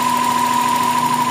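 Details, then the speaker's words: GLI car engine at idle after finding the faulty PCV valve: steady even idle with a clean hum, no knocks or ticks; the noise is gone. "ayan o, oh, ang tino ng andar nyo, wala na yung ingay."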